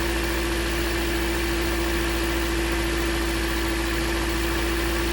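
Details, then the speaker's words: Engine idling with a cylinder 3 misfire code and an air-fuel ratio code while the ignition coils are unplugged one at a time: a steady, even drone at a constant pitch, but a high idle; cause not yet known. "definitely got a high idle for some reason I need to address that first"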